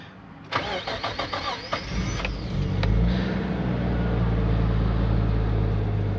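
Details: Tommy Kaira M25TW during manual conversion wiring, reverse switch disconnected: starter cranks briefly, engine catches and settles into steady, even idle around 800–850 rpm with no misses or knocks; starts and idles normally.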